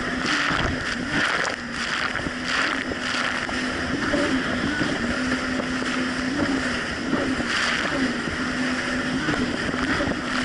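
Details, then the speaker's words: 2007 Yamaha VX Cruiser jet ski on Lake Michigan, formerly surging and bogging: steady, even engine drone over wind and splash under load, no surging or power dropouts; running smoothly. "honestly the Jessie's actually running a whole lot better it's not doing the surging issue so let's go get on the water have some fun with it now I catch back with you guys"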